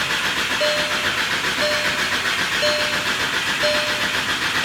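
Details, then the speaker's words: VW MK6 GTI with a newly installed replacement engine: steady starter churn with a faint chirp about once a second, engine turning over but never firing; cause not yet known. "She just cranking. That's all she doing is cranking."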